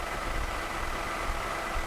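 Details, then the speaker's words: Ginger, big three-liter engine, after new battery fitted: steady, even low idle with smooth rumble and no knocks or stumbles, sounds okay but a bit low at about 550 rpm. "Let's see how we're idling. Still sounds pretty okay. Oh, she's a bit low."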